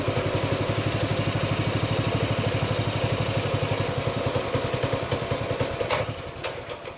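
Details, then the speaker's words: Baja Warrior 200cc single-cylinder, briefly warmed, choke taken off, throttle worked by hand: uneven popping slows, stumbles and dies after about six seconds; suspected out of gas, fuel level just below the tank pickup tube, fuel starvation. "Maybe not ready, guys. Is it out of gas? I don't know."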